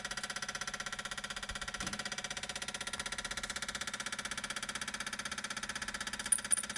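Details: BMW 335i with engine shut off: very regular light ticking, about four per second, continuing after shut-off; source can't be pinned down by ear.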